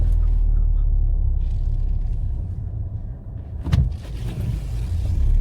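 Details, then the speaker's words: Ford Fiesta ST180 with a Direnza aftermarket engine mount on a test drive: a heavy low drone and boom in the cabin swells with load and revs; owner reckons it vibrates because the engine now has no give or play. "I think it's because there's no give in the engine now. That's yeah. That is shocking. I reckon that's vibrating that bad because there's no play in the engine now. There's no give."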